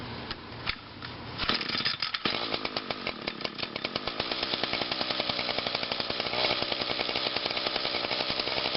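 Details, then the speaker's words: Small single-cylinder engine, cold start with switch on, choke and about 5 primes, last run Monday; catches after a few pulls and settles into a steady, fast, even popping run, so it starts normally. "So I'll just put the plug back in and we'll do a little cold start. Alright, so let's start it up."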